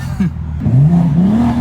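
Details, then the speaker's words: 2023 BMW M3 rebuild, hard clutch-dump launch revved until boost picks up: rising whooshing rush over the engine note, like a big blowoff or a blown line; it happened twice, so occupants think it was normal, source unconfirmed. "oh dang what was that it sounded like a crazy blowoff or we like blew a line or something"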